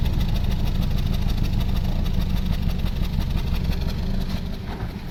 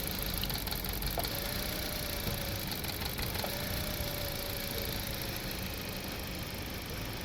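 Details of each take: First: 2016 Toyota Corolla Grande 1.8 four-cylinder at exhaust, no check light, rpm needle fluctuating, stalls when put in gear: uneven idle chuff with a regular dead beat; one cylinder misfiring, clogged injector. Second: 2016 Toyota Corolla Grande 1.8 four-cylinder after fixing the misfire, checked at the exhaust: steady, even idle, no stumble or skipped beats, all cylinders firing; normal idle.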